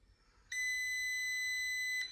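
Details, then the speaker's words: Porsche 968 cabriolet (flood damaged) starter motor tested with a jump box and a screwdriver bridging the terminals: one steady high-pitched beep of about 1.5 seconds as the jump pack flags a short circuit; the starter motor is concluded dead. "Yeah, it's complaining about a short circuit."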